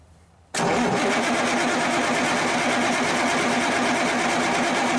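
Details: About 1991–92 Kenworth with Cummins 350 Big Cam diesel, not run in years, possibly running out of fuel; steady, even starter cranking with air building, no cylinders catching: crank no start, fuel priming suspected, not confirmed.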